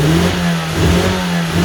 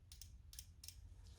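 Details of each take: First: 1994 Vauxhall Astra GSi C20XE red top, new battery, cool engine, first start after injectors removed and cleaned: hard start, then uneven revs rising and sagging before settling; rough running, suspected air in fuel system. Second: Injector one from a 1994 Vauxhall Astra GSi C20XE red top, removed and bench-tested on a cleaning kit powered by the battery; tapping the positive gives three sharp solenoid clicks then a faint spray hiss: normal injector operation.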